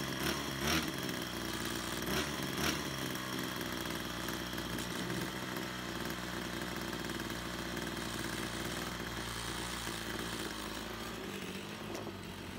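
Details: Brush cutter two-stroke after repair of a fuel leak from a split hose (it had stalled while mowing): steady idle buzz, picks up cleanly when revved and settles back, no misfire or stumble; running normally.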